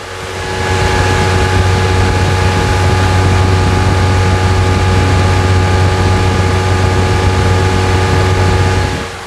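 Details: Chevrolet S10 MWM Pitbull diesel after turbo replacement and full service: steady, even diesel drone with smooth low rumble and no knocks, ticks or whine; earlier vibration noise fixed, engine sounds healthy.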